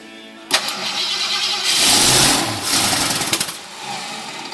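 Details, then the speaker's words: 1969 Ford Fairlane 500, 86,901 miles, long stored indoors, started on starting fluid: sharp catch, quick rev rising and dropping without clatter or knocking; motor sounds intact. "we just sprayed some starting fluid in the motor it does start motor does sound to be all intact"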